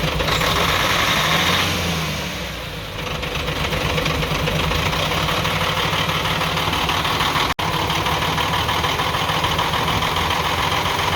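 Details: UD Truck Nissan PF6 six-cylinder diesel at idle: clatters with uneven lumpy beat; misfire, power loss and stalling under load traced to injection pump plunger no. 5 delivering no diesel, so one cylinder dead.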